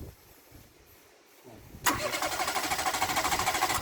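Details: Renault Clio engine abused with dish-soap oil, no oil and no water, plugs found loose and refitted, on a near-new battery: quiet, then the starter turns it over at a steady, even beat that never catches; crank no start, cause unconfirmed.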